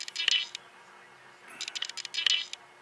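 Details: Nikon camera filming an EICO 667 tube tester repair: quick clusters of fine, high-pitched clicks and whirs with nothing running beneath; the lens autofocus motor is hunting back and forth; autofocus hunting clicks.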